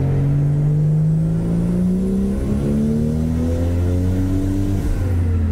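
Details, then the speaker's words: Toyota Supra MK4 LHD with the original 2JZ-GTE twin turbo, lower compression, on its first full-load dyno run with 1.2 bar boost from 3600 to 4500 rpm: the engine note climbs smoothly with no pinging or knocking combustion. Normal run. "hear a knocking combustion? no, it's much quieter. Such engine with lower compression won't work differently, but it's acceptable at this moment"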